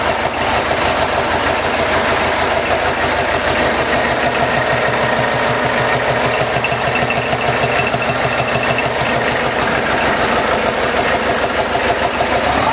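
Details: Diesel kit car running after its first start since the start of the year, supercharger refitted: steady, even diesel clatter at a fast idle with no misses or surges; the engine runs cleanly.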